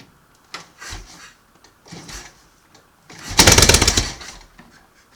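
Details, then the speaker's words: 1938 Matchless Model X 990 cc kick-started after several years laid up, fuel tap just unblocked, choke closed, ignition advance uncertain: catches and fires in a quick even burst, mechanically sound; normal start. "wow that's not bad Advance this will be leave a p back tight wi Advance slack wire sounds okay mechanically"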